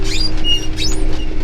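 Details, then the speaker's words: Steiger tractor planting barley, recorded in the cab. Short high-pitched squeaks come and go over a steady low tractor drone; the operator seat creaking as the cab bounces. "I do apologize for the squeaky seat it's actually I don't notice it that much when I'm just driving because I realized how noisy it is on the video so I do apologize for that"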